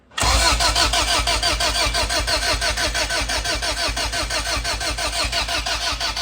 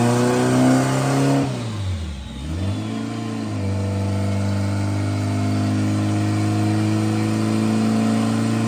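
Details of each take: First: Honda Civic with glued head gasket, GSR swap with distributor, starter relay jumped for automatic; steady starter churn about three compression beats a second, never fires; cranks with no spark at plug. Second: Honda Civic turbo build with a glued head gasket, under acceleration: brief dip in revs then a strong even drone as boost steadily climbs with rpm, no flutter or hiss: healthy turbo boost build.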